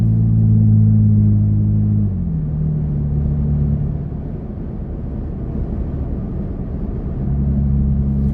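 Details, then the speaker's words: Toyota Tacoma cruising at 43 mph in the cabin after fitting a Prinsu roof rack, wind deflector and front light bar: steady low drone with light wind hiss. This is ordinary wind and road noise, barely different from before the fitting. "I can hear a little bit of wind I honestly couldn't tell you if that's wind from the roof rack or if that's just wind from the truck moving through the air because I really don't notice a big difference at this speed as compared to where it was before"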